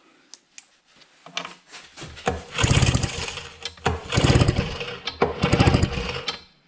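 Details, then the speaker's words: 4 hp Evinrude two-stroke outboard being built into 8 hp, compression judged good: several rope pulls spin it over with a rasping whir but it never fires; no spark. "tukkipin voi voi elikkä revin Rode olikin Romu No se pitää alkaa selvittää että miksi ei tuu kipinä"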